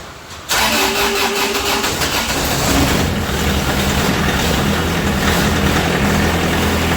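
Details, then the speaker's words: Kubota F3680 4x4 72-inch diesel mower, after running out of fuel during weak-battery cranking and bleeding all four injection lines: engine catches cleanly on first crank and settles into a steady, even idle with no knocks or misses; normal idle. "well that's a good"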